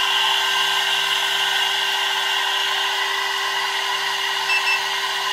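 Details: Air-cooled 1.5 kW 110 V CNC spindle on a 2.2 kW VFD at full 24,000 rpm after five minutes, body about 82–84°F: clean steady high whine holding one pitch, no grinding or wobble; spindle running smoothly at full speed.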